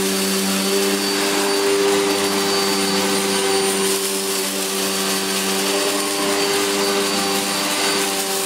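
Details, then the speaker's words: Electrolux Filtaire 1600W vacuum after stripdown, repair and refurbish: steady high whir with clean, unwavering pitch, no rubbing or grinding; motor runs smoothly and picks up everything. "well that sounds really good that's and it's picked up everything it is yes that's really cool"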